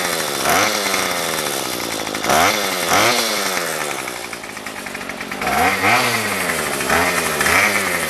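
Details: Remington pole saw two-stroke after a carb rebuild and fuel-line replacement, no head fitted and so no load: it snaps up cleanly on each throttle blip and drops back to idle without stumbling; it may be slightly rich; running normally.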